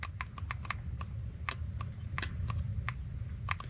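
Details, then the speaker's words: Mercury 25 hp four-stroke EFI outboard solenoid valve bench-tested with power leads: sharp, crisp clicks with each application, opening to pass air toward the canister and closing when unpowered, working normally. "I hear it clicking. See, there's air coming through it. Did you hear that? So, it closes off whenever when there's no nothing applied to it."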